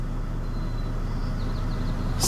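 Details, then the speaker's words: Toyota Tacoma V6 on its first drive after a head gasket repair, which followed white smoke and a cylinder 3 misfire from coolant: a steady, even, low idle rumble with no misses or knocks, normal. "that's how these v6 supposed to sound right"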